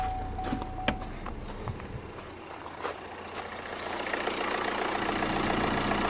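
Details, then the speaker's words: 2012 Opel Astra J diesel (listed as both 2.0 and 1.7 CDTi) with no power, check-engine light and P2004 code (manifold runner control/swirl flaps stuck open). Restarted after the intake manifold repair: a quiet diesel idle settles after a few clicks and bumps, smooth with no hunting or knock. Normal idle. "okay let's try again and he's running let me see if he runs"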